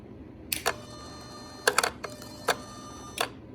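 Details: Gen 3 Hemi swap bench test with only throttle body, ASD/fuel pump relay, constant and switched 12 V and ground wired: switching on gives sharp relay clicks with brief whirring as the throttle body initializes; normal.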